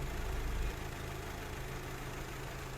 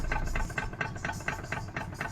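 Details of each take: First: High-mileage car whose hydraulic steering rack clunked loudly when turning and leaked oil; the rack was disassembled, serviced and its clearance readjusted. Test turning the wheel after repair: only a quiet, even idle with no knocks or clunks; steering sounds healthy. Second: Car chassis with a regular hollow clunk about four times a second over a quiet engine, traced to the steering rack, which also leaks oil from aged seals at high mileage and is loudest when steering; fix is rack overhaul and clearance adjustment.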